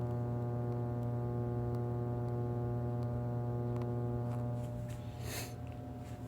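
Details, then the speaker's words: Live plate transformer with a broken core bolt, phone held right on it: loud, steady low hum with strong overtones and no pitch change as coils and core shift slightly. Core hum from a loose core. "the coils are able to move a little bit and so is the core just a tiny little bit cuz remember I said that bolt was broken and that's what we can hear humming"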